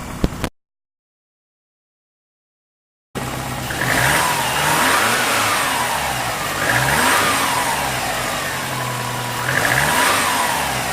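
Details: Compound-turbo Subaru driving: engine pulls cleanly through repeated rising revs with turbo whoosh, no hiss or flutter; boost system sounds sound.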